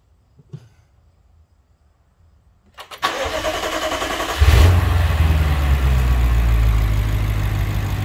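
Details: BMW 650i F06, N63TU V8, starting after a high-pressure fuel pump replacement: the starter whirs briefly, it fires with a rev flare and drops into a smooth steady idle; starts and runs fine.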